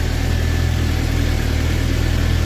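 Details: Suzuki GSX-R750 with about 2,000 km, warm at about 97–98° on the dash, idling just above 1,000 rpm after the misfire was cured by replacing the original spark plugs with new iridium plugs: steady, even idle with no misses or stumbles.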